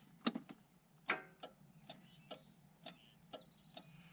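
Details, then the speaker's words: Yanmar 3200EX tractor, in neutral, seat safety on, PTO off, start button pushed: sharp isolated clicks about once a second, starter never turns over; click, no crank. "now i don't know if you can hear that but i'm hearing a click when i push the button it tells me this safety button is probably just fine"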